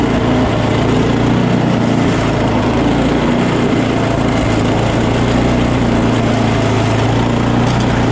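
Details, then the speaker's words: Small engine after a quick carb clean, started with carb spray; primer now makes a noise it didn't before. Loud, steady small-engine drone at even speed, no surging or misses: normal running. "Yeah, let's start it up. Fire it up! Fire it up! Fire it up! Just running it."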